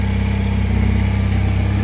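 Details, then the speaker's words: 1984 Honda CB450SC twin after carb cleaning, new parts and synchronization with a homemade gauge whose two readings stay together. Steady, even low thump at idle with no stumble or hunting; carbs balanced; normal idle. "so you can see they're staying together so that's exactly right"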